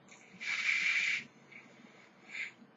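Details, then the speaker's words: Clearomizer after about 10 ml of use, left sitting flooded with excess liquid; the coil fires with a sharp, crackling sizzle for about a second as the extra juice burns off. "if it's like this it will tend to flirt a bit not overly it's not that bad and you can just sort of you know do like a do that Bob crackling away"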